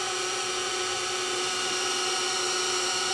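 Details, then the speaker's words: Sony DSR-11 DVCAM deck, front cover off, in rewind: steady piercing high screech with fixed tones, slightly quieter with cover; owner thinks it's the capstan motor. "probably not quite as loud with the cover on well maybe it is ah quite as loud there that's a little better still out I think that's the caps and motor [Music]"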